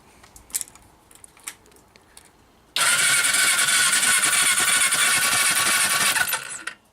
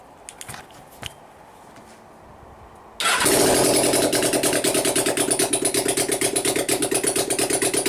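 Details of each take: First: Suzuki GS500 project bike after engine reinstall, spark plugs removed with caps connected to check spark: quick even starter whir spinning freely with no compression load for about four seconds; normal cranking, good strong spark. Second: Suzuki GS500 project bike, first fire-up after engine reinstall, choke on, no exhaust pipes fitted: loud raw fast even crackle, revving far higher than expected; owner says he set the idle wrong, high idle.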